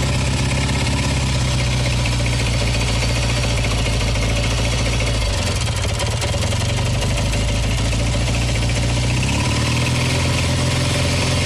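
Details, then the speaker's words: W1SA, tappets already adjusted: hard metallic ticking that appears only when the throttle is opened and accelerating, quiet at idle and on deceleration; rod knock from connecting rod and crank play, with light left-cylinder seizure. "ちょっと吹かすとカチカチカチカチタペットみたいな音がします。タペットは調整してあるんだけど、なんかちょっと硬い金属音がします。"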